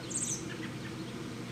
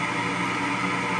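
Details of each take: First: Power vent hot water heater exhaust, heard outdoors at the side-wall 3-inch vent by the porch with a homemade suppressor fitted: only a soft even low hum under birdsong, then a louder blast at the end; far quieter. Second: Power vent hot water heater exhaust, heard outdoors at the side-wall 3-inch vent by the porch without the suppressor: steady loud whooshing drone with constant hum, no pulsing; blower far too noisy.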